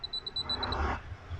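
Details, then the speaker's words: Anytek P22+ USB Bluetooth fingerprint padlock on charge: rapid high-pitched "ti-ti" chirps about ten a second, then quiet; only a dim light, won't turn on or charge properly; owner suspects a battery problem. "यसमा charge गर्यो भने यसमा सिर्फ light आएर यसमा आवाज मात्रै आउँछ। यसमा लाइट मात्रै बल्यो, हल्का लाइट डिम लाइट मात्रै छ यसमा। अहिले आवाज टिटी टिटी मात्रै निकालिरहेको छ।"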